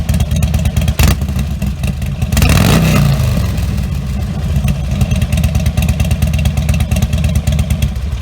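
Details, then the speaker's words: Harley Sportster-family V-twin (Nightster/Iron) with Vance & Hines Blackout 2-into-1 exhaust, before quiet baffle install; loud lumpy idle, a sharp rev near three seconds then back to idle, decibel meter running; healthy engine, loud pipes. "We're going to start it up, let you see what this sounds like stock, and then just give it some revs."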